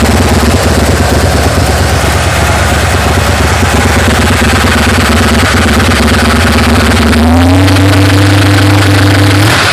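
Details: 1980 GMC Sierra C15 with a junkyard L31 Vortec 350, Summit K1107 .488/.510 cam, Performer RPM, Flowtech headers, 600 Holley, Thrush mufflers; cold start, clipped mic: a choppy, loping, rough idle, then rising revs.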